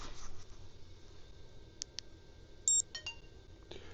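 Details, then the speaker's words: Xtra Atto dashcam giving short high-pitched status beeps and a brief steady tone in a quiet room, recorded close to and facing the camera; normal status alert. "You heard a high pitch beep. I hear that when it's close and facing me."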